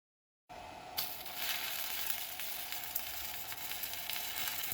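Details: Pampa Hogar ARC 200 inverter stick welder, 160 A, slag-producing rod: steady, even frying crackle with no popping gaps or sputtering once the arc strikes; stable, well-running stick arc.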